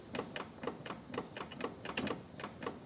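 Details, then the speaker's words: 2008 BMW K1200GT, rear wheel off, gear engaged, play in the driveshaft; final-drive oil changed with no shavings: light, even clicks about four a second turning the wheel by hand; front driveshaft universal joint suspected worn, cracking under hard throttle in first. "A ver si es la cruceta de adelante, que está jodida y por eso pega esos crujidos. Sobre todo cuando le metes caña en primera."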